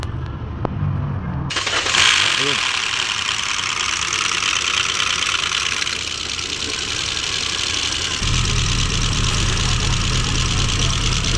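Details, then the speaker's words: 2014 Hyundai Accent, first start after oil sludge cleaning and fresh oil: short crank, then idle with a loud dry clatter on top; called normal because oil has not yet reached the head, engine to be warmed to see if it quiets. "So may narinig po tayong maingay. Normal lang po ito dahil yung langis hindi pa po umakyat sa itaas at hindi pa umikot sa loob ng makina."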